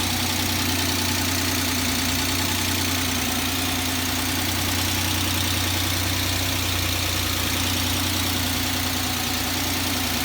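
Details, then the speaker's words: Suzuki Grand Vitara H25A engine, reinstalled after repair for high oil consumption and extraneous noises, warm after about 15 minutes running: a constant even idle with no tapping or knocking and no engine error codes. Normal idle. "как вы слышите в лифт и работает без посторонних шумов"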